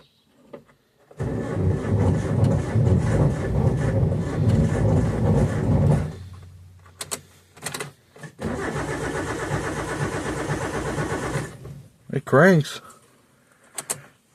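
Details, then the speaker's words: 1987 Suzuki Samurai, sat unused since about 2014, oil looking clean, first crank attempt: even starter churn about three compressions a second in two bursts; engine spins freely and turns over, not firing. "I got that empty. Um, I'm going to crank it just to see what happens."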